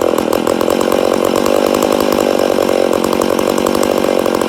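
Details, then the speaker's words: Rebuilt McCulloch Super Pro 80 chainsaw, first start after rebuild: fast, hard two-stroke buzz that stays revved and never drops back, sounding lean; owner suspects an air leak somewhere. "oh a sounds like we got air leak definitely sounds like she got an air leak but she does sound good yeah I'd say we have an air leak somewhere"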